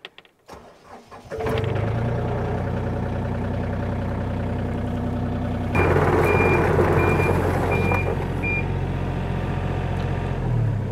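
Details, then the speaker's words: Diesel machine used at a sawmill: steady idle rumble with a sharp high travel alarm beep repeating about twice a second, sounding whether driving forward or backward; owner suspects a fuse could disable it. "I'm with you need to get rid of that beeping noise it does it doesn't matter if I go forwards or backward it beeps"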